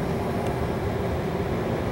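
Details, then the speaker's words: Fuel oil/heat pump hybrid, stage one heat: compressor restarts after inlet air cools below 90°F lockout, fans ramp up, supply temperature rising as inlet drops to 87; steady low drone with even mid-pitched hum, compressor running normally. "and now you can hear the fans ramping up and supply is raising back up the same time inlet is dropping 87 so we're back to stage one on the heat"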